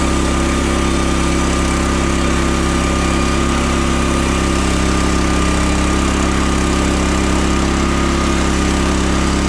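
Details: 15HP Harbor Freight Predator engine, swapped in for the 13HP Briggs & Stratton on a Frontier OS27 sawmill, during its first log cut. Holds a steady, even drone without bogging, hunting or misfiring; healthy under cutting load.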